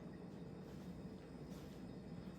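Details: Vintage 1994 Hunter Legacy 52-inch ceiling fan on high speed: steady, airy whoosh over a soft low hum with loud wind noise, no ticking, rubbing or wobble; running normally.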